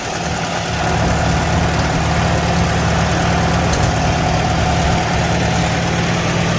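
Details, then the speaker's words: 1949 Farmall Super A tractor, first start after valve adjustment, cold, no choke: fires right off and idles steady, quieter, even low beat with no knock or tick; normal idle. "So it hasn't been started since the last time I took it out, and no choke, and it fires right off. Definitely sounds much better, much quieter."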